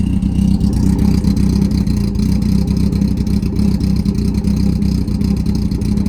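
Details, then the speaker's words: Smart car, first start after carb cleaning and new jets: low deep idle with steady firing beat, firing audibly back and forth, no stumbling; runs clean, normal idle. "to me it sounds like a has a bit of a lower tone I'm not sure about just me or not same here it sounds almost like a little bit of a moment you can actually hear it firing back and forth"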